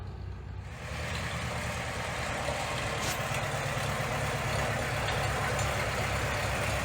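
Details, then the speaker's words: Minneapolis Moline ZAU tractor engine, warmed up, with oil pressure dropping: a steady low knock at about three per second at idle, absent when cold; a loose crankshaft bearing is suspected. "We got an easy bearing on the crankshaft somewhere. You can hear it knocking. Wasn't really doing it when the engine is cold."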